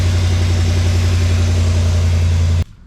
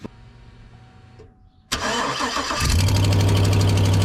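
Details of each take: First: Chevy after fixing exhaust manifold leak and broken manifold bolts: deep even idle rumble, steady pulse, no ticking, then shut off; clean healthy idle. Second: Chevy Silverado/GMC Sierra engine starting and idling with three broken exhaust manifold bolts: sharp steady tick about four times a second from the exhaust manifold leak.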